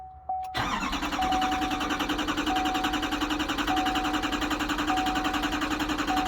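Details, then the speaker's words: GMC/Chevy C4500 truck on its fourth start attempt after a 30-second wait: the starter cranks at an even beat for six seconds under a pinging warning chime, but the engine never catches; it cranks but won't start. "Okay, and that's the fourth time we've tried that."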